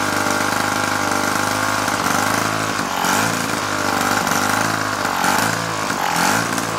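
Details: 1950s child's go-kart small engine, revived after sitting for years, on choke with fuel spilling: the single buzzes at a fast idle, a little uneven but keeps running without dying.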